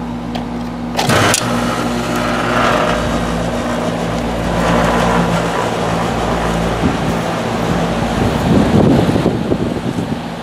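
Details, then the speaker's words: Carrier air conditioner condenser unit after replacing the run capacitor; steady low compressor hum under even fan rush, slight vibration from loose unscrewed paneling, compressor much quieter than before; running normally. "but i can tell you right now you obviously didn't hear it the way i did before"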